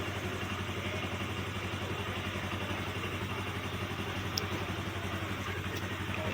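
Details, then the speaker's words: TVS Ntorq 125 scooter idling after repair of noisy engine, valve tappet and timing chain work and ECU reset: quiet, low, even putter, no tapping or chain rattle; engine now quiet and smooth. "So tahimik na yung makina niyan, smooth na yung takbo."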